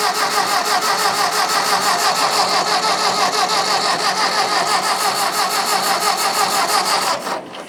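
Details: Old Ford tractor (possibly 8N) on starting fluid with intake removed: steady starter cranking, about three compression beats a second, seven seconds without firing, then stops; maybe too much throttle.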